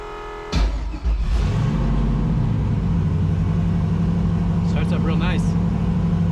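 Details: Turbocharged Foxbody Mustang on E85, on dyno after repairs, dome pressure added: catches cleanly and settles into a strong, steady low drone with no misses or knocks; running normally.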